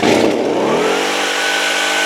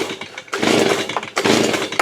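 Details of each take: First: Stihl blower after carburetor replacement, previously dying after starting: catches and climbs to a steady, crisp high-pitched scream at full throttle with no surging or bogging; high speed runs well, idle still to be adjusted. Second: Stihl BG85C leaf blower after carburetor replacement, choked, primed: several rasping pull-cord strokes with no firing; stop switch left off, so no start.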